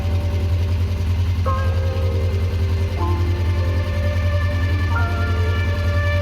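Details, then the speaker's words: 2004 Kawasaki ER-5 twin after carb work, bled and newly fitted exhaust: deep, steady low thrum holding an even idle with no misses or hunting, music faintly behind; sounds great; normal idle. "oh looks and sounds great to me so far guys"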